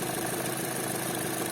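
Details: Chevrolet Cruze 1.8 Ecotec, checked for a noise at startup: steady, even idle hum with no knock or tick; head and block oil pressure match, lubrication judged good; normal idle.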